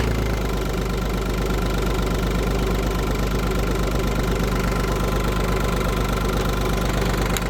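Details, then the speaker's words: Audi A2 TDI before starter refurb: the engine settles to a steady idle with a faint thin squeal just after cranking ends; owner suspects the starter pinion is being held against the flywheel ring gear, not confirmed. "well listen carefully when i crank the car over you're gonna hear like a sort of squealing noise once the engine is actually running so"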